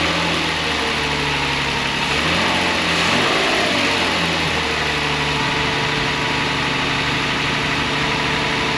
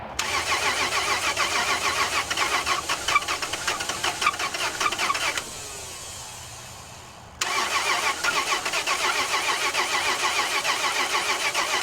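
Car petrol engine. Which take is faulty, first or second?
second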